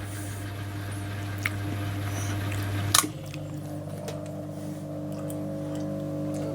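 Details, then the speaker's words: Leslie 910 rotary speaker, lower rotor motor switched from fast to slow/stop: low steady electrical hum shifts pitch once and keeps droning while the rotor should be stopping, buzzing briefly before it stops; brake circuit buzzing the motor. "the motor hasn't quite stops it makes a bit of buzzing at the moment and then it stops"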